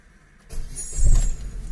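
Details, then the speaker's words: Daewoo/Chevrolet (Lanos/Aveo/Nubira/Nexia/Lacetti family) petrol engine just after throttle body and idle air channel cleaned on the car, uncleaned ~100,000 km, previously unsteady idle and slow rev drop: catches after short crank, settles into even steady idle, responds well to pedal; normal idle. "заводится как видим смотрим на оборот и ребятки все работает четко видите откликается на нас хорошо педалька"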